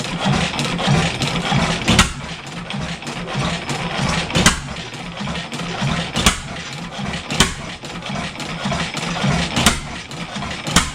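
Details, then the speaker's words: Old 7HP Stickney stationary engine after decades sitting: slow uneven firing beats every one to two seconds with coasting, never gathering speed; not picking up, owner suspects air leak and wrong choke setting. "it was running better before yeah it's not picking up like it fire still I can't can't feather it back still air leak somewhere"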